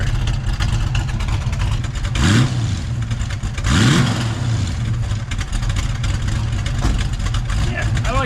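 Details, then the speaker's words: 1971 Mustang with 347 stroker V8, 5-speed manual swap, long-tube headers, 18° base timing/34° with full vacuum at the distributor: lumpy idle with two crisp throttle blips, ratatat from headers, no pinging; engine running great. "all you can hear is the ratatatat on those long tube headers this thing is running great"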